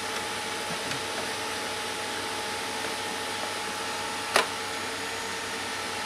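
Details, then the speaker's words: HP desktop under repair, CPU refitted with thermal paste and RAM contacts cleaned: quiet, smooth CPU fan whoosh with a faint steady tone and one brief click; fan spins normally but the computer does nothing else. "questa è la ventola della CPU ma non fa null'altro"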